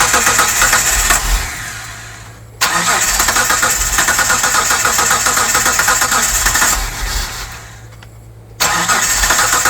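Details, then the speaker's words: 1998 Mitsubishi 3000GT SOHC 3.0L V6, sitting 12 years, after new distributor, coil and PTU, with gasoline poured in: fast cranking with ragged firing bursts that catch then die twice; nearly starting. "She's starting to catch It's so close."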